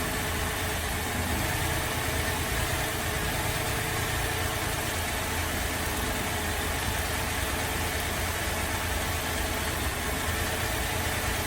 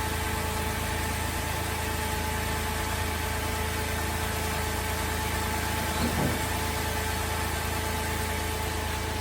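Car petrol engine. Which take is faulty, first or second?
first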